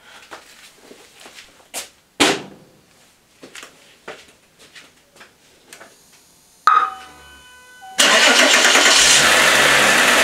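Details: VW VR6 after its 6-month service, oil filter housing leak fix and new air filter: the starter cranks briefly, then the engine catches and settles into a steady, even idle with no knocks or misfires, sounding healthy.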